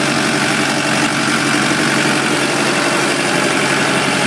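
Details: Kubota M100X tractor diesel at idle during a pre-trip check before a blizzard, Dec 30 2012: steady, even rumble with no knocks, misses or hunting. The engine sounds good and healthy.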